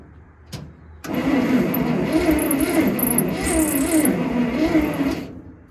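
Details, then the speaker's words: Bantam truck crane sitting in a quarry for years: steady starter churn about four turns a second with ragged catches after using ether and a weak battery, engine firing better but never runs; cranks without starting. "It sounds like it's firing a lot better, but it's definitely not taking off."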